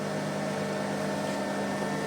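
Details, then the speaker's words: Audio amplifier on a 20 A transformer, heard at the speaker with the ground wire to the transformer center tap disconnected: constant steady low mains hum; reconnecting the wire removes it. "nah ini saya lepaskan sekarang kita dengar lagi di bagian speakernya nah itu jadi dgungan nya sudah jelas kedengaran"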